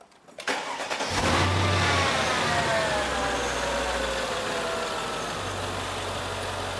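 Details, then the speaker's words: Mercedes-Benz W211 E55 AMG with mods, C63 rear boxes and original cats, known vacuum leak: cranks and catches, then steady, fairly smooth idle with a faint falling chirp; owner thinks a slight pulley squeak, nothing to worry about. "got a little bit of a pulley squeak they're probably feeling a bit damn no a lot to worry about"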